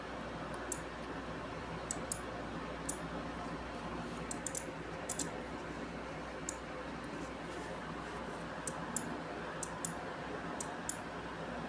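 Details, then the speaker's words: Relay in an infrared-sensor DC motor control circuit, with its S wire connected straight to the sensor and the motor not yet attached, gives sharp dry clicks at irregular intervals, about a dozen in ten seconds, over a quiet room hum; the relay is switching properly. "Nah, jika ada suaranya maka relay sudah bekerja."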